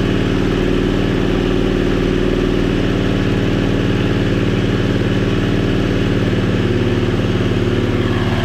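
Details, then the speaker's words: 670cc Predator engine in an E-Z-GO TXT golf cart during first-start 10-minute break-in, warming up: smooth even drone at fast idle around 2000 rpm, no knocks or misses; runs normally. "sounds good though getting it up to Temp and breaking it in happy it runs everything runs good so do this break-in and then reevaluate after that"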